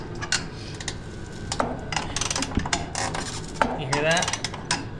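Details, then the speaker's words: Jeep Cherokee XJ suspension bolt being turned: dry creaks and ratcheting clicks, then a rising squeal near the end, as the seized bushing twists with the bolt. ">> Something's twisting. >> Yeah, >> it feels like it's seizing the bushing."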